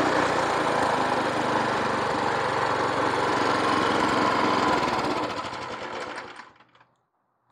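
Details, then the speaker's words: Free roadside rototiller, previous owner said it ran a minute or two then died; single-cylinder engine thumps evenly at steady speed, then winds down smoothly at shutoff; running normally. "Ceart go leor is cosúil go bhfuil an fhuaim go maith aici, ligfimid di suí ar feadh cúpla nóiméad"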